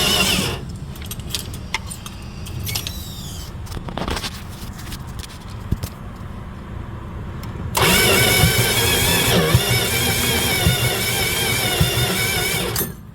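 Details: Dodge 318 V8 cranks steadily but won't catch, uneven puffing and spitting back through the intake; exhaust appears to blow up out of the carburetor despite spark, occasionally trying to fire; cause unconfirmed, suspected something catastrophic.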